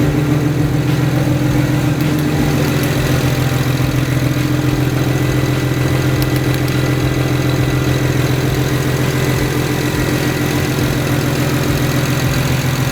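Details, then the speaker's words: 2008 BMW 135i, first start of a new motor with a single turbo kit, in cold winter weather: deep, even idle with a steady low pulse and no misses, ticks or knocks; the engine runs healthy. "so as you can see it burns like a kitten I'm real happy with this"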